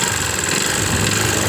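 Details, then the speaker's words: Yamaha Jupiter MX found with oil empty and radiator dry, smoking exhaust: harsh gritty ticking over idle with no clean beat; destroyed water pump bearing. "Assalamualaikum warahmatullahi wabarakatuh masih sama Rizki motor MX suaranya kasar Mas Bro seperti ini ya"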